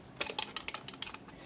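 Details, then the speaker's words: Used Indian power saver box dated March 2011, about six years old, shaken: sharp, light ticking rattles from fragments of an exploded capacitor loose inside. "you you guys hear that that rattling sound inside that is because this thing has Al also exploded"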